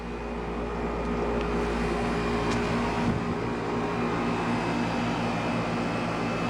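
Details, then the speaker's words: 1995 Tempstar air conditioner with Universal fan motor and Copeland reciprocating compressor, first startup of the season before spring cleaning, mid-80s heat: steady low compressor hum under even fan rush, no knocks or rattles; condenser warming and running normally. "But she's running. Very nice unit, very good unit. Condenser is starting to get warm."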